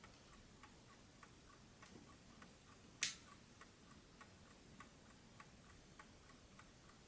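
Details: 1968 French JAZ VINIC 1260-13 "DISCRETO" wind-up alarm table clock, mechanical calibre 4PA movement, known for its quiet tick, repaired: soft, even ticking at a steady beat with one louder click partway through; the movement runs healthy and quiet.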